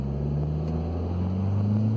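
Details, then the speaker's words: Audi B6 A4 6-speed manual (APR Stage 1+, ECS Stage 2 clutch, lightweight single-mass flywheel), coasting off throttle: steady low whir with a squeak under road rumble; owner suspects the transmission, cause not confirmed. "It's like a whirring off throttle. There's like a the squeak."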